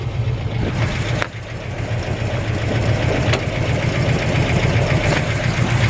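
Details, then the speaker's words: 1970 Chevrolet C-10 V8 with roller rockers and likely Holley carb, at idle: deep slightly lumpy rumble with light quick ticking from solid lifters, normal; slight dieseling at shutdown. "does have roller rockers you can hear the clicking of solid lifters"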